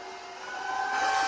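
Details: Bitmain AntMiner S9 Batch 3 (12.93 TH) on an alternative PSU, still booting with fault light blinking: steady high fan whine with airy rush climbing in loudness as fans spin up; normal startup fan noise.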